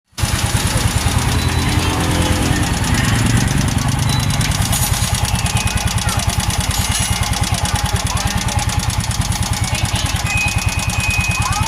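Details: Yamaha motorcycle engine idling with a rapid, hard knock on every firing stroke, pointing to internal engine knock; the machine also has an oil leak.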